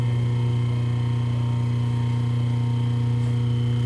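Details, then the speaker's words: Rewound three-phase motor running on 220 V single-phase mains with a permanent capacitor, wired in delta (1-6, 2-4, 3-5), on first start after hookup; steady even low hum, no knocks or rubbing: normal running. "Então galera, eu vou ligar, coloquei uma fita aqui para facilitar a gente visualizar, né, o motor funcionando."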